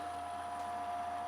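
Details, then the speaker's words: First-gen Ryzen Micro ATX PC with side panel off and mic turned toward it: steady, loud, whiny high whir with airy rush from the fan, no speed change. Fix planned: case swap, new fans, ID-Cooling AuraFlow X 240 CPU cooler. "that's what this fan sounds like oh there's another one if anything uh we're gonna take care of this problem today"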